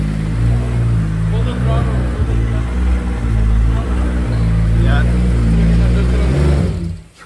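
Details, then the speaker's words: Turbo Toyota 2JZ six-cylinder first start after injectors plugged back in, throttle cable not yet set up: revs up and down with lumpy uneven beat, running really rich, needs fuel pulled. "go crank it out there it's really rich and smell it I can I can adust so pull some fewu out of it"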